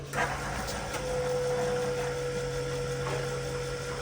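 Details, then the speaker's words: Airdog 165 GPH fuel lift pump with Power Driven Diesel sump, just installed on the Tow Pig diesel truck with weak batteries: engine off, a faint steady electric hum then a thin even whine as the pump primes, whisper quiet and normal. "Whisper quiet. I think I hear that, don't I? Status check. It's definitely running."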